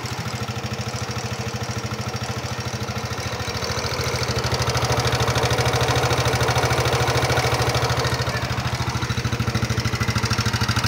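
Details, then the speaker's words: Nmax (2019) scooter, still rough after piston and block replacement. Sharp, even tick about three per second over rough idle, swelling slightly with revs; checked before teardown, mechanic suspects the connecting rod. "inilah sedikit penganalisaan sebelum mekanik bengkel lakukan pembongkaran untuk motor nmax yang suara kasar berlebihan"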